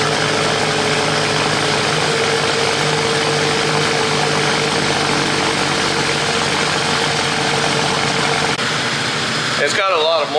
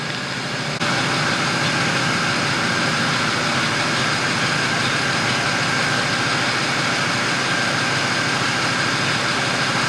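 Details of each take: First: BMW cold start idle after sitting a few days in a damp, freshly washed garage: steady idle with a slightly busy exhaust note, no knocks, misses or rattles; moisture in the exhaust, not a gasket leak; normal cold start idle. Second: Car, hard cranking with no start: fast, steady starter churn, engine spins evenly but never fires. Pressing the gas while cranking changes the tone and bogs it slightly; owner suspects it needs plugs or isn't getting enough fuel.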